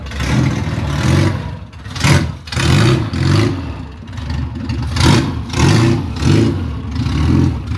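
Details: Classic Rover Mini Sidewalk, first run after 14 months off the road and engine work: loud open-pipe engine blipped about every couple of seconds, revs rising and falling cleanly with no knock. Normal revving.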